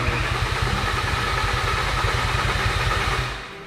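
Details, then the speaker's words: VW Caddy van after swap to a much bigger engine, first start with a completely dry fuel system: starter churns steadily for several seconds but never fires; wiring fixed at ECU, no fuel getting through yet. "Okay, so it's cranking, but it just hasn't got any fuel, which I mean makes sense why it doesn't have any fuel cuz I still think it's just going up."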